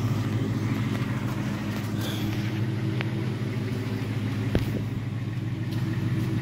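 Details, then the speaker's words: Ford V8 with a replacement engine (new liners), cold start after sitting two weeks. Steady idle rumble with a light, quick tick about three per second: cold engine ticking, cause unconfirmed. "there's the tick car hasn't run in two weeks and she's ticking away now look at that"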